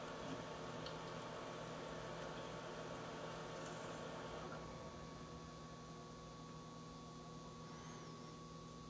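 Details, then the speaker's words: H220 AIO pump with hard drives only, no case or radiator fans, side panel off, pump back to high speed as SpeedFan closes at shutdown: steady even whir, fixed tone near 1 kHz, no rattle, about 5 dB change; normal. "this is the again the computer without any fans just the pump and hard drives running"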